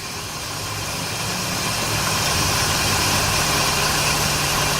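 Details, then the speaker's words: 2006 Scion xA petrol engine idling, low charging voltage fluctuating: thin, hissy high squeak over the steady engine hum from slipping alternator/power steering belts, fixed by replacing belts. "all right so I got the car engine on right when you hear the squeak you'll hear you'll see that the voltage will change a lot"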